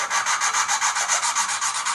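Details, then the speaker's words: Volvo S70 2.4T used cylinder head on the bench, valve being hand-lapped with grinding compound during valve seal replacement: rhythmic gritty back-and-forth scrape about four times a second, smoothing as the seat laps in. "ever notice how you can hear that gritty grinding well you pretty much want to laugh the Val until that noise goes away you how it's getting smoother"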